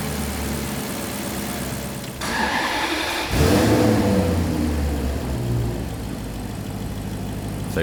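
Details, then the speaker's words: Maserati Quattroporte V8 after repair: cranks, catches and revs, then settles into a smooth, even run with no misfire, very different from before. "we've done it that is sounding beautiful and no misfire and you can really listen to that now very very very different to before"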